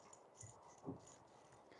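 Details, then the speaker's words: Old idler pulley removed from a 2003 Jeep Wrangler TJ that had a rattle/squeak, spun by hand: a few soft, uneven clicks and rattles from the worn bearing; replaced with a new pulley. "And then this part is our old bearing. So you could definitely see and hear that clicking right there."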